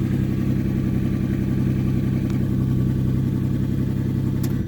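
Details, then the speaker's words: Salvage crash-damaged Ferrari 599 V12, second longer run after undercarriage damage, going through adaptation: smooth steady low hum, no knocking or misses, dropping off cleanly at shutdown; engine runs healthy. "so while it didn't sound perfect uh there's definitely no knock or anything"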